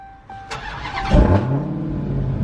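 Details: Tuned Hellcat (Hellkeazy) after limp-mode repair, no codes except the tune code: short crank, engine catches at once and settles into a strong, even idle with no misses or knocks; clean, healthy start.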